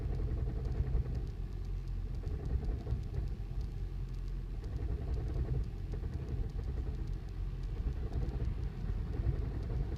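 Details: 2008 Toyota Prius at startup: rough, uneven low thumping knock with the whole car shaking, recurring on repeated starts, check engine light came on.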